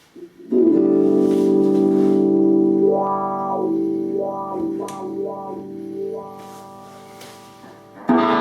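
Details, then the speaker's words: Wah pedal after fixing scratchy pots (cleaning, lithium grease): sustained guitar chord with wah sweeping smoothly up and down, no scratchiness or dropouts; pedal now working clean. "So now we have a pedal here that looks great and absolutely sounds great."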